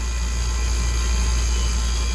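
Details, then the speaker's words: 30-year-old water-cooled walk-in cooler, down for weeks after short cycling on overload: condensing unit compressor now hums steadily without knocking or short-cycling, drawing 6 amps with full sight glass; good news. "But she's drawing good amperage. 6 amps, sight glass is still full. This is really good news"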